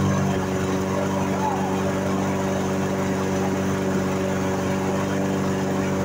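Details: Briggs & Stratton mower engine that sat unused and wouldn't start, after carburetor cleaning and reassembly: steady, even drone without surging or dying; running normally.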